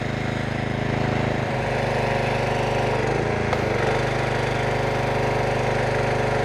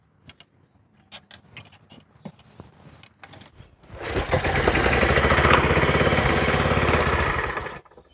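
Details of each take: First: Troy-Bilt pressure washer with a Briggs & Stratton Quantum engine after full service (oil, carburetor, air filter, new O-rings): steady, even drone with a slight dip mid-clip as the pump takes load. Runs smooth and healthy, with no leaks at the handle or hose. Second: Troy-Bilt pressure washer, Briggs & Stratton Quantum engine bought in 2004, non-starter: starting fluid sprayed in at half choke, several pulls, then it runs rough and fast, a bit rich and flooded, and dies. Spark, fuel and air are present; runs only on the sprayed fuel, pointing to a fuel-system fault.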